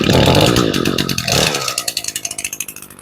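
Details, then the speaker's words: Two-stroke weed eater started for winterizing, warming up: high buzzing at speed settling to an even, steady idle putter; well tuned and healthy. "That's a well tuned weed eater. Now, we're going to warm it up and wake it up a little."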